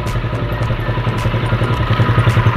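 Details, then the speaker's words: Motorcycle with PE28 carburetor after replacing the intake manifold-to-carb rubber with Samco hose-type part: even, steady idle with no hunting or intake hiss; smooth idle confirms good installation. "Ya, mesinnya berputar dengan baik saat idle. Ya, seperti ini. Saya menggunakan PE28, merek Mot. Ini bagus."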